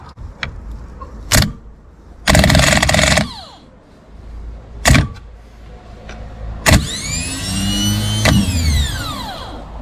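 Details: Rebuilt Renault R8/R10 starter bench-tested on power: two short bursts of quick, even whirring that wind down smoothly when released, with no dragging or grinding. It spins freely; normal starter operation.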